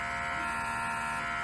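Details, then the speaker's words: Glitz Up rhinestone applicator tool: steady buzzing hum with a thin high whine that changes when the finger hole is covered; the vacuum pump is working normally. "extra noise tells you your vacuum pump is working"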